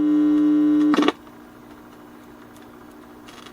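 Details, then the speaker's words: Supreme 78 RPM record player with a substitute cartridge: loud steady buzzing hum that cuts out, then only faint hiss, no music plays; cartridge assumed bad. "Nothing. It's probably bad as well, but I don't really have an an extensive collection. I have no uh cartridges like this I could even try, but I assume because it's making that noise that it's going to be this."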